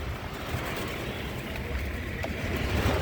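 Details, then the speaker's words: 1981-1990 Ford EXP/Escort A/C blower after installing a new blower motor and new resistor pack, key in accessory, stepping up from low speed: smooth, even rush of air over a low motor hum, no rattle or squeal; blower works fine. "so you can see it's blowing at the low speed i can crank it up the next speed"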